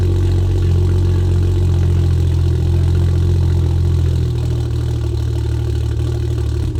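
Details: MK4 A80 Toyota Supra Turbo after a new wastegate and dump pipe were fitted to cure a leaky wastegate: a deep, even exhaust drone at steady idle with no hiss or puffing leak, so the engine now runs cleanly.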